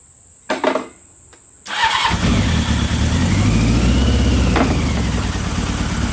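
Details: Old Honda CBR600 engine in reverse trike project, first run in over two years after carburettor cleaning: a couple of dull knocks then catches and settles into steady, even multi-cylinder burble; healthy idle, though not tuned properly.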